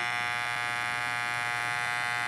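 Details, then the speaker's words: Electric hair clipper running with a steady loud buzz and a slight rattle from loose blade parts; fix is crimping the loose blade tongue so it no longer wobbles. "malakas maingay pero hindi siya kaingayan"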